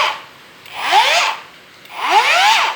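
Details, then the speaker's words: Hujia cordless brushless grinder that shut down from overheating, repaired by insulating peeled wires, fitting a better battery and removing styrofoam from behind the bearing: two runs, a smooth whine spinning up and coasting down with no grinding or rattle; running normally, no new module needed. "dan berfungsi dengan baik. Syukurlah, dengan sedikit modifikasi, saya tidak jadi membeli modul tersebut."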